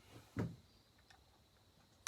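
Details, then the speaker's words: Husqvarna 1100CD chainsaw torn down to find a vibration: two dull clicks about 1.7 seconds apart as the bare crank is rocked up and down by hand, free play at the crank; owner suspects a worn bearing or worn rod. "yeah something's going on with that bearing I believe that bearing the wore out I move it up and down hear that or a Rod's War"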